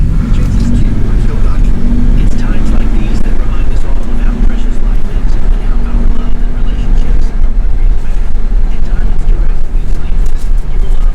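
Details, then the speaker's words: BMW E60 528xi (Copart car) driving after replacing a hub bearing; steady low road rumble, only rusty brakes audible, no rhythmic growl or hum rising with speed, earlier horrible noise gone; normal wheel bearings while driving. "so [Music] it was the bad bearing it was the bad bearing because right now it doesn't produce those horrible sounds anymore"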